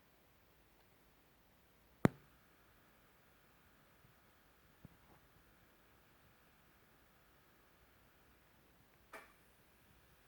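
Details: Edifier R2730DB powered speakers with all inputs disconnected except the power cord: a sharp click as they switch on from standby, then a faint steady buzz; owner suspects a bad sample.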